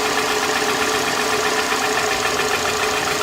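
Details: 2007 Toyota Camry four-cylinder at idle with flashing check engine light: uneven, lumpy beat from a cylinder 2 misfire, confirmed because unplugging coil 2 barely changed rpm; coil swap to cylinder 3 planned next.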